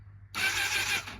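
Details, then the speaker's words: Honda CBR1000RR crashed in a police chase, spark plugs out after Marvel Mystery Oil soak, first attempt to turn over: short even starter whir under a second, never catches; engine turns over freely, normal cranking. "I wonder if it'll turn over, though. That's the question. Oh, man. All right. Oh, man. Oh, man. She spun over. She spun over, babe."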